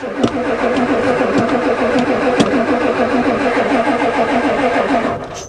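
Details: Ford diesel truck at +4 °C, steady cranking about 3.5 beats a second, no firing; the new glow plug controller never clicks, owner suspects it doesn't work.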